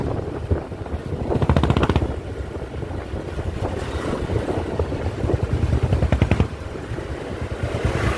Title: 500cc standard misfiring